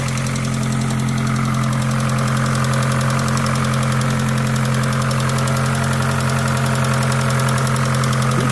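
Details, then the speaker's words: Opel Astra Cabrio running thicker oil, warm idle after adding half a bottle of additive: light, quick, even ticking about four times a second, worse when cold; hydraulic lifter tapping, additive seems to help, remaining faint tick attributed to a sensor. "jetzt doch mal hier ist meine hydrosklappern ich habe da jetzt mal die halbe Flasche reingekippt das scheint wirklich zu helfen"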